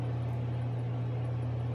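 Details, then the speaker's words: ILG Industries Model 83 8-inch panel mount exhaust fan, new old stock, 4-pole high-slip motor 1550 RPM, 115V 60Hz 0.72A, full speed after O-rings replaced steel motor-shaft spacers: steady even low hum, no drumming or rattle; normal running. "wow that made a huge improvement i don't hear any drumming it just sounds smooth and quiet"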